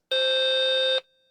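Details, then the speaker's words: BBC Master 128 switched on after setting CMOS configure quiet: one loud shrill tone under a second then a faint fading tail; random sound-chip values at power-on before the ROM initialises and silences it, normal. "so now if we turn the computer off and on I think the initial beep shouldn't be as loud"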